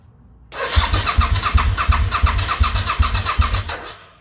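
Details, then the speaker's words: 2003 Suzuki V-Strom DL1000 on a test fire after fuel-system work and repair of a pinched fuel-tank wire, with the tank loosely mounted: the starter cranks about four beats a second for three seconds and the engine doesn't catch. "I'm not finalizing anything until I know it runs. I don't want to have any fuel leaks and have to take it all back apart. So, let's give it a test fire."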